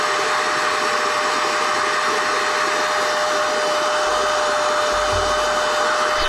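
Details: NovSight G5 6000A jump starter/tire inflator's built-in air pump, switched on and inflating an item until it is taut: smooth, even high-pitched blower whir holding steady tone, no rattles or surging; normal running.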